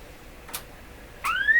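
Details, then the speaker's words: MS15c S1 signal generator used from 1976 until 2000, tuned a little over 200 with modulation added: two faint clicks over hiss, then a tone swells and slides up to about 2 kHz, cutting in and out intermittently. "There's the modulation. So you hear it? Of course you heard it, but it went away, didn't it? Well, you heard it. Kind of a hit and miss deal."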